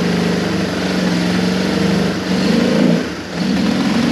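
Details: Yamaha Moto 4 ATV single cylinder, first start after top-end rebuild, with oil-saturated airbox: fast-idle thump picking up with throttle blips and settling back, running steadily without misses; normal running.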